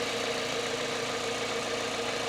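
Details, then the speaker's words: 2007 Toyota Corolla after fixing a charging fault (alternator/fuse suspected), idle: starts right up, idles low, an even smooth hum with no knocks, squeals or belt chirp; now charging at 14.13 volts versus not charging before. "starts right up. Idling really low there. That seems good."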